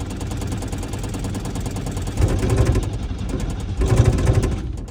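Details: Old Chevrolet Chevette on a cold start: the starter churns slowly and unevenly, about three turns a second, but it never catches. Cranks with no start; cranking stopped to avoid damaging the starter motor.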